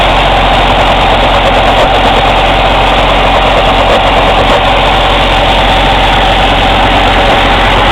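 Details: Cummins ISX CM2250 diesel during regeneration: loud steady roar with sharp, airy chuffing from the intake, no mechanical noises; louder in person; owner suspects turbo chuff during regen. Intake chuffing noise during regeneration.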